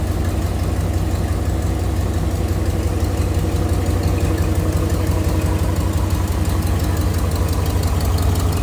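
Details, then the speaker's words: 1961 Ford Galaxie Club Victoria Starliner 352 V8 idling, heard under the hood: steady low idle with faint quick ticking from a small exhaust leak, said to fade or quieten once warmed up. "There you can hear a little bit of the exhaust leak. I guess it goes away or gets a lot quieter when it's warmed"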